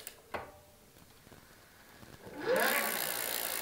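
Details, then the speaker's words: Cheap electric bike, with the pedal sensor attached and power engaged: a few light clicks, then the hub motor kicks in with a rising whirr after two seconds. The motor responds to the pedal sensor signal. "so the motor is definitely picking up some signal from the pedal and that's very interesting"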